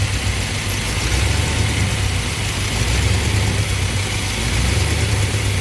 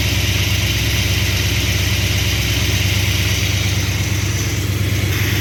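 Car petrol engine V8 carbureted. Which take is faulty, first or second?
first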